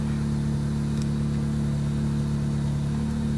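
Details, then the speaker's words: 2001–05 Honda Civic on restart after ignition switch replacement: steady, even engine hum at constant speed with no misfire, ticking or rough patches; starts up good and runs fine. "Try it again. Starts up good. Radio comes on. Just fine."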